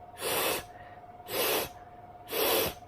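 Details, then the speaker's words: Vandyvape Pyro V2 atomizer: three loud hissing rushes of air, one per pull about a second apart; very turbulent, noisy airflow on every draw. "this is the version two really really turbulent still there's really really noisy then yeah which is a bit of a put off"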